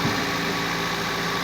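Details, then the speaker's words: Toyota Vios Gen 2 petrol engine at idle after replacing a noisy, leaking water pump: steady, even idle with soft low hum, no grinding or rattling from the belt side. "mga idol ingay wala ng giniling parang Rasher okay na"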